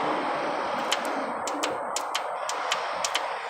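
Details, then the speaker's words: Transmission linear solenoid from a 2000 Honda Accord SE, bench-tested by wiring ground and positive directly: sharp, crisp clicks in quick pairs about every half second over a quiet hiss, showing it clicks when energized. "there's a clicking"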